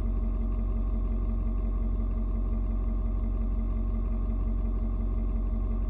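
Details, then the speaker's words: Ford Super Duty 6.7 diesel cold start at 56 °F: idle tones shift while the engine adjusts fueling to outside temperature, then mellows into steady low even clatter with no knocks or misses; normal. "you can hear the truck engine kind of doing different tones what it's doing is it is reading and figuring out temperature outside it's trying to figure out you know um how much fuel to mix with the air so it's found it's uh it's point where it needs to be that's why kind of mellowed out a little bit now"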